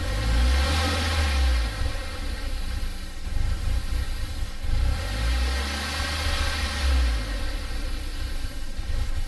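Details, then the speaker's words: Audi after an aftermarket intake install with a poorly fitting MAF: low idle surging and sagging every few seconds with an uneven, lumpy note; rough running, vacuum leak at the intake. "Alright, well that sounds like absolute garbage."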